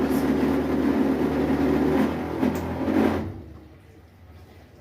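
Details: Brastemp 15 kg washing machine (BWB15/PWA15) while filling with water: a steady low buzzing hum for about three seconds, then it cuts off; the noise appears during water intake, consistent with a noisy water inlet valve.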